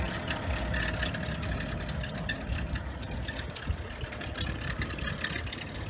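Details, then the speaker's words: 2011 BMW 535i at cold idle, 7 a.m.: faint, uneven ticking rattle at about four per second over the engine hum from the belt tensioner pulley, which is noisy when cold; it is to be replaced today after earlier tensioners, possibly from eBay, failed. "that's my belt tensioner i'm gonna be changing it today i just wanted to show you he does it in the morning when it's cold"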